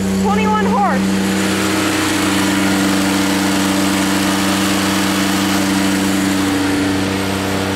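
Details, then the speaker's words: Rebuilt Grasshopper 721 mower with straight three-cylinder Kubota gasoline engine, just started on choke after carburetor cleaning, new fuel pump, spark plugs, oil and air filter: steady even idle, smooth low hum, no knocks or misses; healthy. "there it is running a three cylinder Koda"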